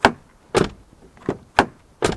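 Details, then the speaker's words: Nearly new 2023 Ford e-Transit Trend L2 H2 electric van, 18 months old with 1,266 miles: five driver's door slams, each followed by a brief rattly buzz. Owner suspects loose window rails or bolts; passenger door likely doesn't rattle. "and if I shut the door which I didn't do properly then there's a bit of a second rattle when that slams which I don't think the passenger door is"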